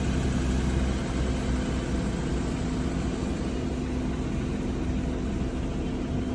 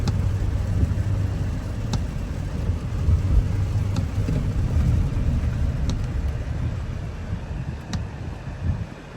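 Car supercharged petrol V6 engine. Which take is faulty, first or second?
first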